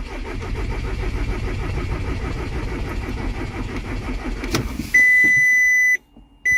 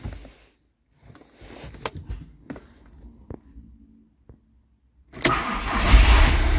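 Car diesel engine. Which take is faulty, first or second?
first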